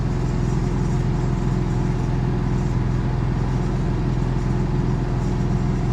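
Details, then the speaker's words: Built-in Onan generator in a toy hauler RV, heard from outside about 30 feet away: steady, deep, even drone with a low thrum at fixed speed, loud and booming even at distance; the generator is obnoxiously loud. "nice and quiet yeah that generator is obnoxious"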